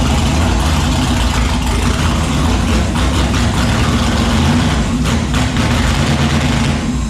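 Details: Turbo 5.3 LS V8-swapped Mustang, naturally aspirated startup after correcting reversed injector harness wiring: heavy, even V8 rumble with a steady beat and no misfire stumble or knock; idling smoothly.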